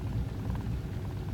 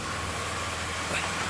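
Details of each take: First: 1999 Pontiac Grand Am 3.4 V6 low idle issue, drives fine: low uneven idle rumble with jerky, stuttering, surging beat; rough idle, fuel pressure regulator replacement planned, cause not confirmed. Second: 1999 Pontiac Grand Am 3.4 L V6 after a fuel pressure regulator was replaced to cure a rough, stuttering low idle: after a single click it settles into a steady, even idle with no stumble or hunting. It runs much smoother, normal idle.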